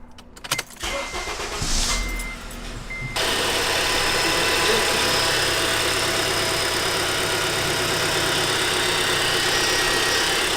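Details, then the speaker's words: 2012 Acura TSX Special Edition with the K24Z engine, just after a serpentine belt replacement: the starter cranks briefly and the engine settles into a steady, even idle with no belt squeal or rattle, healthy. "I'm gonna turn it on and make sure that it's working correctly and nothing's loose or anything."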